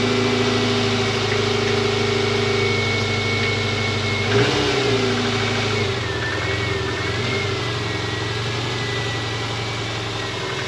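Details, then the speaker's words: 2000 Subaru Impreza 2.5 RS with swapped engine, which misfired and shuddered above 4,000 rpm, just after replacing all four worn spark plugs with new OEM plugs: even, smooth idle with one quick throttle blip settling straight back; no misfire or stumble. "Didn't even miss a beat, so let's take it on the test drive real quick and see if it still does the thing."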